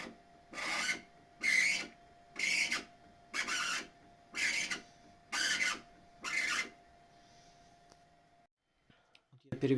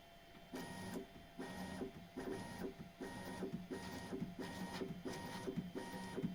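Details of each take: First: Bambu Lab X1 Carbon 3D printer: seven raspy squeaks, about one a second, as the bed moves, slightly louder moving up; belt drifts and rubs the upper or lower flange of the tensioner idler pulley. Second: Bambu Lab X1 Carbon 3D printer after lubricating the bed belt tensioner roller: bursts of smooth stepper whirring as the bed travels, with the squeak practically gone. The belt was rubbing the roller edges, leaving rubber stuck to the roller.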